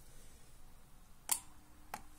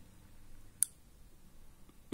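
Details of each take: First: Garden watering solenoid valve switched by a Relpol RM84 relay driven by a Sonoff Basic, bench test: sharp relay click, then two softer clacks as the coil loses voltage and the valve snaps shut; normal closing. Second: Relpol RM84 relay on GZ80 socket switched by Sonoff Basic for a garden watering solenoid valve: sharp click then loud low buzz as it pulls in; relay buzzing from loose socket seating, quieter when pressed in firmly.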